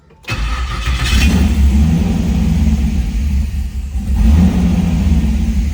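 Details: 1978 Trans Am SE with LSX/LS6 swap and FiTech, first start, oil pressure showing: catches within a moment and settles into a deep, slightly uneven rumble with no knocking; healthy first start, run briefly before topping up ATF.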